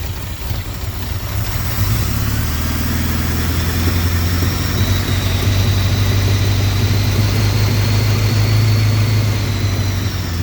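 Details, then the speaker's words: 1981 Honda Goldwing with single-carb kit modification, vacuum leak repaired, after priming fuel pump: steady even low idle with smooth rumble, no misses, knocks or hunting; idle may need raising and carb tuning; normal idle. "some tuning on the carburetor is required but as far as the vacuum stuff sounds like it's good to go"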